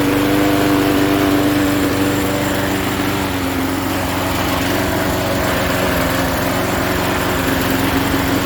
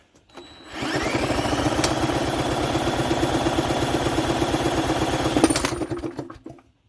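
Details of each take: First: 1988 Jacobsen lawn mower with Briggs & Stratton 3.5 hp engine, started after fresh gas, pull-start spring broken: steady, even buzz at constant speed with no surging or misses; runs smoothly and healthy. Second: 1988 Jacobsen lawn mower, Briggs & Stratton 3.5 hp engine, turned over with a drill (broken pull-start spring), low throttle, no carb cleaner yet: quick even chuffing for about five seconds then fades, never catches. Cranking, no start.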